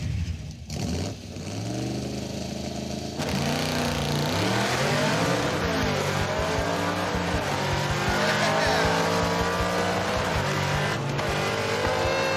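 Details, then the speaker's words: '56 Chevy with 500-hp small-block V8 launching on a cold drag strip: revs climb hard, then the note suddenly drops out mid-run as the ignition cuts; earlier rewiring didn't fix it, cause unknown. "Oh, it shut off! Ah, did you hear it cut out? It totally cut off. Oh, that's annoying. So our rewiring trick did not solve the problem of the ignition completely shutting off in the middle of the run."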